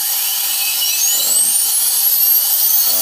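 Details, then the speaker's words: Tripet MUS-100 internal/external grinding machine, air-driven spindle said to run at 80,000–130,000 rpm: a thin, very high whine climbs steadily as the spindle spins up, clean and even with no rasp or wobble; healthy spindle. "you'll hear the the wine from that driving the the air driven spindle which apparently rotates anything between 80 and 130 000 rpm"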